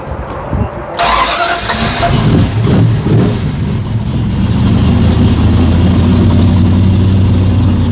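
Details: Apparently the '78 Pontiac Trans Am Bandit tribute (Hurst equipped, T-tops) at a hot rod shop. Short crank, then the V8 settles into a deep, steady burble with no knocks or misses; a normal idle.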